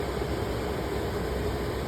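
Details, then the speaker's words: HVAC air handler in an attic after replacing the failed blower motor and cleaning the blower wheel; smooth, constant rush of air with no scraping, rubbing or wobble; wheel spins freely, normal blower operation after repair. "Power it on and should be good to go. Yeah. As you can hear spinning in there. That's a job well done."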